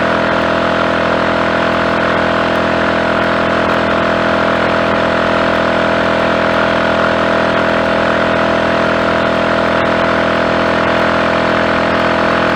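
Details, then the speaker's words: Triumph Tiger Cub single, warm, after new carburettor slide, needle, needle jet and main jet plus plug gap reduced, flat out near 60 mph with rider and load; steady even roar, no misfire. "That went well. No misfire. We actually had the speedometer needle just about to clip 60 there, which is the most I've ever seen it get up to, flat up, with all my bulk, and this also on the back."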